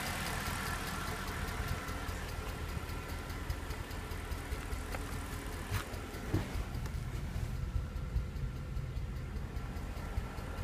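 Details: Mercedes E63 V8 at idle: light, quick ticking runs steadily over a smooth idle, something clicking in the top end. Cause still unknown.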